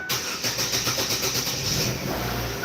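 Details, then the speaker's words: Chevrolet Aveo5 after repair work: cranks with rapid even pulses for under two seconds, fires and settles into a steady idle; "listen to that baby go, everything worked out beautifully", clean healthy start. "Hey-o! Ha ha ha! Let's go check it out. All right. Listen to that baby go. Everything worked out beautifully."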